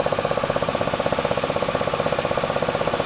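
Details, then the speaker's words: 2008 Chevy Equinox, day after free repair for cracked cylinder 3 spark plug, while driving: fast even puttering knock near the distributor area, not at startup; shop said cylinder 3, owner suspected a loose air hose. "But I looked in here and it just seems like a puttering, but I can't determine where it's coming from. It just looks like it's coming from that distributor area, but I don't see anything loose."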